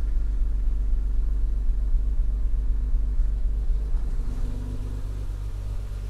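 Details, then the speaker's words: BMW E36 M3 six-cylinder at idle. Deep, even idle rumble with a steady beat and no misses or knocks; a slight rattle and an unidentified noise heard at the back, but runs fine; normal idle. "I think it runs fine. There's a bit of rattle. Each one has this, but it's not bad."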